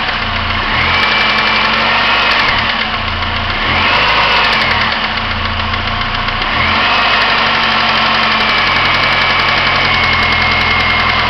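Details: 1999 Pontiac Grand Am SE, warm idle: repetitive deeper knock over the engine that eases as revs rise. Only present when warm, not on cold start; owner unsure if timing chain or rod.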